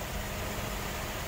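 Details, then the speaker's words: Mercedes C126 with a misfire, after new plugs, wires, cap, rotor, ICV hoses and filters, cold idle: steady, even, smooth hum; misfire may return once it warms up. "but that that sounds better let's let's give it a second I'll check back in and let it idle for a while so it's still nice and smooth and"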